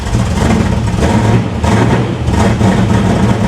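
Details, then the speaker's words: 500 hp 1987 Chevy Monte Carlo SS V8 just after first startup, flooded; low, uneven idle with lumpy, stumbling pulses, running rough while clearing fuel, with oil pressure and voltage good. "She's definitely running a little rough. Yeah. Maybe she'll stay running."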